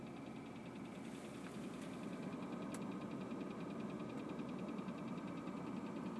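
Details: BMW E36 328i at idle: faint, uneven light ticking coming and going over a steady petrol idle; owner doesn't know the source and guesses the fan.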